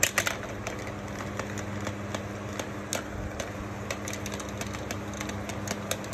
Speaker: you definitely hear us not even spinning it close because of how broken the blades are you can hear a little bit of a hum from it